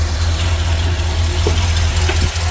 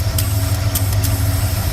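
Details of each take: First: Truck petrol engine, 34,000 miles, after sitting for years, idling after PCV valve replacement for a rattling/ticking noise: steady, even low rumble, no clicking or tapping, running smoother; rubber grommet may also need replacing. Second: Truck engine with only 34,000 miles that sat for years, idling: a few irregular, sharp light ticks mistaken for lifter tick or exhaust leak; the PCV check valve spring bouncing back and forth, easy to replace.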